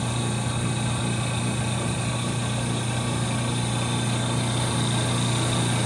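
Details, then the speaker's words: 1930 Gilbert and Barker model 106 clock-face gas pump, after a WD-40 restoration, switched on and primed: steady, even motor hum with constant low drone and fine flutter, no knocking or grinding; smooth motor, pump running normally under load. "Well, let's turn this thing on and get her primed up and running. The motor sounds super smooth."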